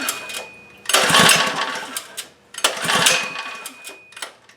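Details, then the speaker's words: Relatively new Legend Force lawn edger that won't start after sitting, rope pulls with choke on and then off: each gives an even run of compression strokes with no firing. Good compression but it won't start. "Compression. That seems fine. But yeah, it's not doing anything. Choke off. Still nothing."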